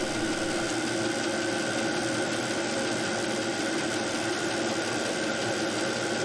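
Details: VEVOR Chinese diesel heater on a test run on a 12 V battery at 11.4 V in a 12–13 °C shop, with a steady fan rush and a faint ticking pump; pump frequency is adjustable, normal burning.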